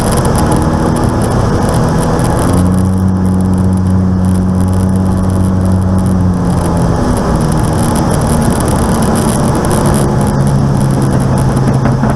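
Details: Aircraft N735D after a spider replacement: steady low drone with shifting tonal bands and an odd extra note at idle, heard at altitude, on approach and over the runway; cause not pinned down.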